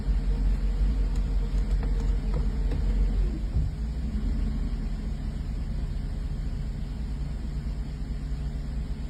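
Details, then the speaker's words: 1984 Mercedes 380SL V8 at idle after fitting a replacement ECU, which fixed the earlier rough idle and black smoke. An oxygen sensor had been replaced first without a full fix. Now a steady, even low rumble with no stumbles or misses: normal idle. "but I think what's happening is the engine is simply cycling out all of the gunk from when it was running poorly the last few weeks but right now this is this is how she's supposed to sound this is how she's supposed to run"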